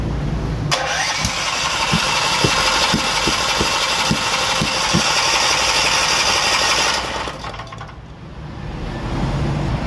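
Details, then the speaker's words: Old Kanpor portable generator, spark present, carburetor cleaned: steady cranking with sharp pops about every half second, never starts; flame backfires out of carburetor at breather hose; cause unconfirmed, spark plug to be replaced next. "Diyan lumalabas ang apoy dito. Yung hose na galing sa breather papunta dyan. Diyan lumalabas, parang backfire."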